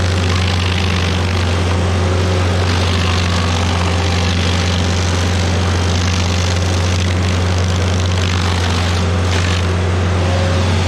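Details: Stump grinder with freshly rebuilt engine (new rings, cleaned piston), first job grinding a willow stump: strong steady low drone holding even under cutting load, no misses or surging; oil on heat shield later burnt off; normal engine under load.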